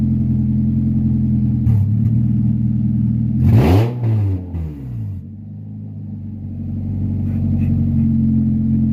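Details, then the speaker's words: 1996 Honda Prelude Si H23A1 after engine install, in neutral, on old fuel, owner says it leaned out. Loud open exhaust drone stumbling and sagging mid-rev; rough running, cause unconfirmed. "we got the car to start i started it like three or four times you know it broke up a lot it didn't sound great but it fired off like nothing which is fantastic"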